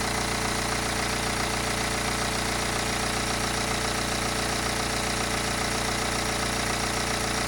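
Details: 2009 BMW 318 with the N47 diesel: steady idle with an even fast tapping rattle, about three to four a second; owner is weighing timing chain replacement, chain rattle unconfirmed.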